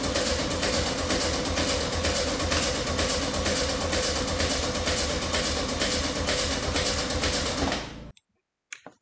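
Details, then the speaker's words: VW Beetle cranking on a cold snowy day while checking distributor direction and plug lead order: regular sharp pops about twice a second, never catching; backfiring from both sides due to ignition timing fault. "What I'm currently saying here is that it's now backfiring out of two holes, which means that both sides are working reasonably well. apart from there's a timing issue."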